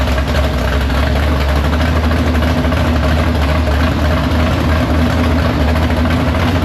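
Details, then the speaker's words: Big-block Chevy V8 in the Farm Fresh gasser, timed, carb due for a swap for more fuel: deep, steady, even rumble without misses or knocks. Fires right up, no leaks; normal idle. "But yeah, everything's good to go. No leaks. Fires right up. Got this thing timed."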